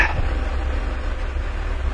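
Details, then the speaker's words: 1997 Mercury Villager, towed in, running very rough for over a year with dying and no-start: low, uneven loping idle; vacuum test holds pressure with no engine change, so diagnosed as EGR valve stuck open though its diaphragm still works. "well, it holds pressure and there's absolutely no change in the engine. Absolutely none whatsoever. This is going to be a stuck open EGR valve."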